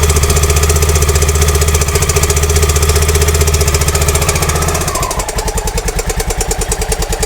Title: Honda dominator nx650, 45.000km, 1999, bad and loud clacking engine sound problem.